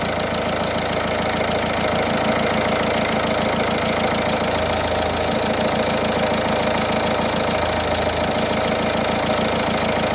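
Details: Peugeot 308 SW 1.6 HDi diesel, cold engine only, at idle: steady clatter with a fast, even ticking on top; owner suspects belts or a bearing, cause unclear; unidentified cold-idle noise.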